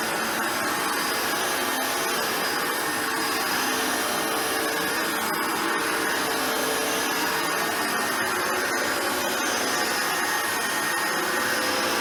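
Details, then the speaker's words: Hoover Turbopower Boost U2718 vacuum motor after full stripdown and refurbishment, reassembled with fan fitted: steady high-pitched whir with airflow rush, no rattles or grinding; spin-down no longer rattly, runs smoothly. "that works very well as you can hear the spin down is no longer rationally and horrible it's got a lovely smoothness to it"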